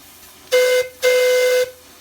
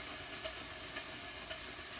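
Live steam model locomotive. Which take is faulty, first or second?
second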